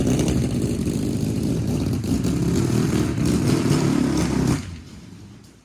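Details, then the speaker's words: 750cc half-scale NASCAR kart after months of sitting, restarted with the chokes down: a steady, even putter at roughly four beats a second with no misses or knocks, then a clean cut-off; runs smooth. "So this thing is running real good. It's kind of hard to obviously open it up back here"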